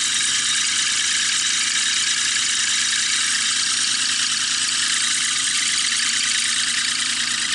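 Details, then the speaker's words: Lada Zhiguli with a 1.8 engine, left sitting for a year: light ticking knock of about three per second over a steady idle; it turned out to be a loose bolt tapping, not an internal engine knock. "Думал, это стук мотора, а это оказался вот он. Болт."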